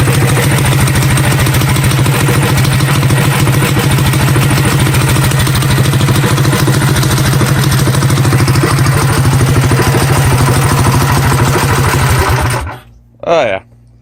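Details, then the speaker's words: Coleman CT100U mini bike, Hemi Predator 212 single-cylinder with new 18 lb valve springs and fresh oil, first start after reassembly: crisp, even beat holding steady about twelve seconds before shutting off; sounds beefier than ever, running normally. "sounds beefy beefier than ever"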